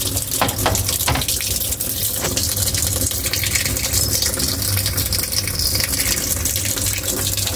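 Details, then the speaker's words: Single-tub automatic washing machine, tested for a drain fault: steady rushing and splashing of water filling the tub, with a faint low hum underneath. Normal fill. "Nah, ini buat ngetes nanti ya, air sudah ngalir ya. Nah, ini air lagi ngisi."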